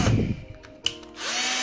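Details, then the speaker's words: Bosch GSR 120-Li cordless drill, six months old, after gearbox repair (owner suspects low grease or a gear problem caused the earlier noise): handling knocks, then smooth steady motor whir without grinding or rattling; earlier noise gone, gearbox running normally. "तो अब आप देख सकते हो इसमें जो भी पहले वॉइस थी वह सारे जा चुकी है मेरे गल्स में जो उसके गियर द उसी में शायद या तो ग्रीस कामता है तो कोई है गया था अब एकदम बढ़िया चल रही है और मस्त आवाज़ करेंगे"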